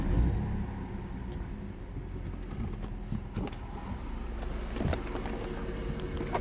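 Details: BMW E92 330i N53B30 while driving: low uneven drone with loose irregular rattles and power loss at low rpm, no codes on INPA; injectors, coils and HPFP already replaced; owner suspects DISA valve.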